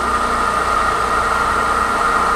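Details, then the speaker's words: Pedestal stand fan after repair of a loud noise from a loose motor bearing, bearing not replaced: steady, even hum with a clean motor tone, no scraping, ticking or wobble; normal running. "कि यह लिखित में कोई दिक्कत नहीं आराम से चल रहा है"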